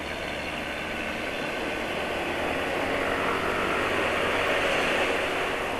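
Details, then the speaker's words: Yamaha NMAX scooter idling: coarse, rattly top-end noise over an even beat. Suspected internal noise, possibly camshaft or bearings around the cylinder head, not piston rings, and not related to oil; cause unconfirmed. "Hai yang bikin berisik sepertinya bagian dalemannya entah website hanya entah noken as-nya bearing yang sekitar Head Silinder itulah Hai itu yang menurut penulis bikin terisi"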